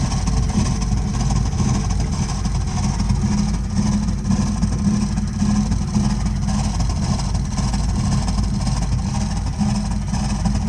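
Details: Burnham Alpine boiler firing with an ongoing problem: a heavy, steady low rumble with a loose, uneven flutter throughout, an abnormally loud combustion noise.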